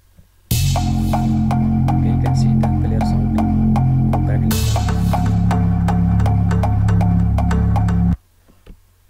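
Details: Laptop with a dead, crackling left speaker, after turning the left speaker off in Windows sound settings; music with a steady drum beat now plays cleanly through the right speaker with no crackling or buzzing.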